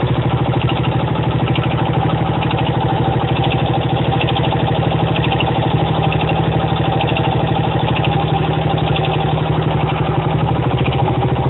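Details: 1975 Honda XL125K single-cylinder motorcycle engine idling: sharp regular knock on each firing beat, still present after a new cam chain was installed; cause unknown.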